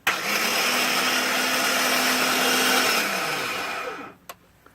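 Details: 2005 Ford F-150 5.4 no-crank: on trying to start, a high steady whine from under the hood with no cranking rhythm, winding down and ending in a click.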